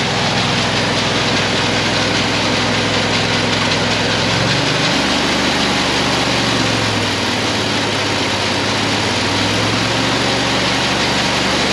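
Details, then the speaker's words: Auger filling the truck with heavy fertilizer through a screen; loud steady engine drone drops in pitch twice and labours near stalling, throttling down from the heavy load, risk of plugging. Engine bogging under heavy load. "You can hear that auger, it's throttling down, it's almost dying. Fertilizer's so heavy. Gotta be careful you don't plug it up."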